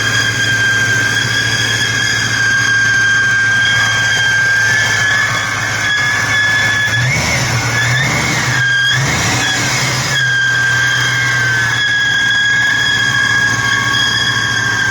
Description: 2003 COBRA with humming noise when cold and goes away when it warms up. its between 800-1200 rpm and goes away.